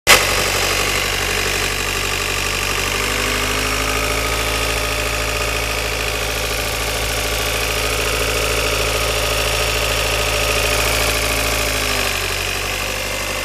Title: Dziwny dźwięk silnika.